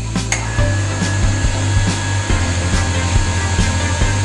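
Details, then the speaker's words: Household water pump after refilling its air pressure tank with a bicycle pump to cure rapid on-off short-cycling; motor holds a steady low hum without cutting in and out, smooth and even; normal running. "หายแล้วเดินเรียบนิ่งเลยนะครับไม่ต้องปิด"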